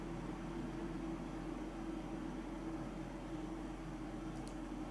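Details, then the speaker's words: Mitsubishi DXK13YXP-W1 inverter air conditioner (12,060 BTU), indoor unit with fan set to Low (Fan Speed 1) for night use; High is loud. Soft, even airflow hiss with faint low hum, no rattles or squeal; normal quiet low-speed fan. "เบาลงเบาลงก็ได้ยินแค่นิดเดียวครับ"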